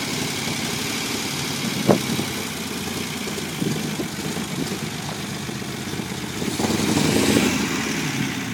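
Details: Unimog 404 first start-up after rebuild with new fuse boards and a rewire: rough-edged but even mid-pitched idle with a slight swell near the end, no knocks or squeals; normal idle.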